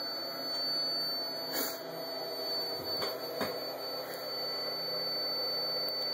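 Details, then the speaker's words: Ultracapacitor power pack running an inverter at about 130 W, voltage down to 10.6 V: a thin, steady, high-pitched squeal over a faint hum. The inverter is giving a low-voltage warning just before it shuts itself off. "we'll just see where this thing goes until it shuts itself off but you can hear the inverter squeaking at me"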